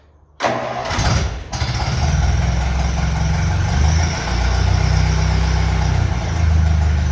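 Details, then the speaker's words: Ferguson FE35 TVO tractor cold start at 15° indoors after fitting reconditioned radiator: brief crank, catches at once, settles into steady, even low idle with no misses or knocks; good clean cold start. "started very well but it's 15° in here today"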